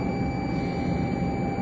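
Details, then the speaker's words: BS5 Hydra crane, ignition key on with the engine rumbling: steady unbroken mid-pitched beep warning of low air pressure. "Sound ఏంటంటే beep sound air తక్కుందని అర్థం air తక్కుతుందని అర్థం చూపిస్తుంది అదే sound వస్తుందిన్నమాట"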